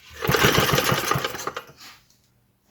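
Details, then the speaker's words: 1948 Johnson Iron Horse small four-stroke utility engine, carburetor bowl filled, no choke yet: about five quick, even compression puffs a second for just over a second, then dies away without catching; cranks but won't start. "so let's open this up and uh let's fire it up see what happens it goes nothing"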